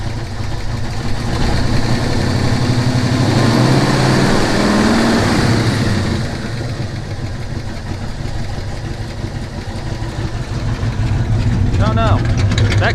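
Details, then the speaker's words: Ford Maverick idling after work, belt working, charging at 13.8 V: steady even low rumble; owner wondered if a faint sound was a small knock or exhaust leak, but nothing built up; normal idle. "sounds good she is at 13.8 wrap it up 1.4 so we're doing good"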